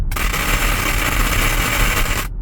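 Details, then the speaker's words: Tesla Model Y: a dense crackling, popping rattle from the roof, like rocks dropping, for about two seconds after lifting off the accelerator or pressing the brake; not from the radio, source unclear. "It's not coming through the radio. It's coming through. It sounds like rocks are dropping on the roof of my car."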